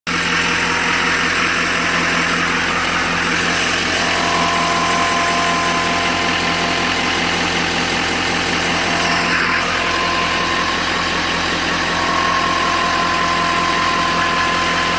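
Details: 2012 Chevrolet Silverado 2500HD Duramax diesel idling steadily with a thin, high whine near 1 kHz that fades in and out; owner suspects the oil pump, not confirmed.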